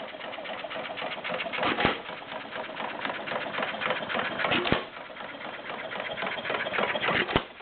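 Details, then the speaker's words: Warm Stover CT-2 hit-and-miss engine, 2–2.5 hp, choke fully open, about 500 RPM by tachometer: sharp firing pops every two to three seconds with quiet coasting between, very little smoke; running steady and healthy. "once it warms up it doesn't really need that it runs fine with the choke fully open very little smoke runs pretty good"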